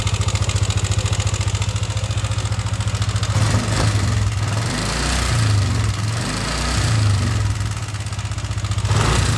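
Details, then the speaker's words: Yamaha NMAX version 1 scooter engine at idle and blips: rough, clattery tick riding on the beat, noisy and coarse-sounding; worn camshaft bearings. "So issue nito may lagatik maingay malaman parang magaspang."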